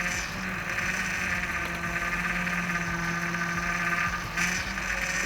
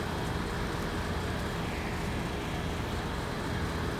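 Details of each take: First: 2005 Acura MDX with a whining power steering pump, after one bottle of fluid was added: a steady whir holds over the running engine without changing pitch. The whine persists, and the owner suspects the pump itself. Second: 2005 Acura MDX that had a whining power steering pump, after topping up with another bottle of fluid: steering turned back and forth with only even engine hum and road rush, no whine or groan; fluid was the cause, steering now quiet.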